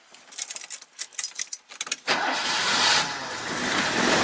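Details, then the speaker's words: Citroën 2CV with an intermittent starting problem, started with the choke pulled out: keys clatter, then it catches at once and holds a fast, even choke idle, a rare clean first-time start. "I don't even think I've had this car start first time before"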